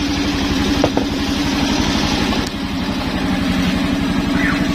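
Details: Suzuki Skydrive scooter after service, now idling normally (it previously wouldn't idle): even, quick idle beat holding steady with no stumbling or dying, running cleanly on its own with the Mio regulator/rectifier fitted and the battery disconnected.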